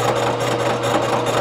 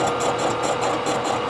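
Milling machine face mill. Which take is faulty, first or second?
second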